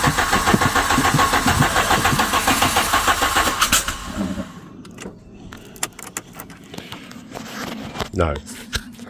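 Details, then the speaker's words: 1997 VW Vento 1.8 automatic that won't run, fitted with a borrowed coil from a 2 L Golf: the starter churns steadily at about three and a half turns a second for four seconds without firing. Crank no start; the coil is ruled out and the distributor cap is next. "it's not the coil. [ __ ] hell. So, it's not the coil."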